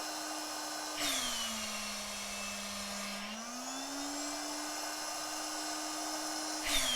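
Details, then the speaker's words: 12 V air pump on its supplied power adapter: steady motor hum drops lower under airflow, then climbs higher when the outlet is covered and the motor has less load. Air pump motor speeding up with outlet blocked. "now if i cover this up and stop any airflow the motor gonna get less load that's"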